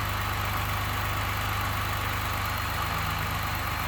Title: 2nd Gen 3.5 EcoBoost V6 Engine Knocking, Rattling - 29K Mile 2018 F-150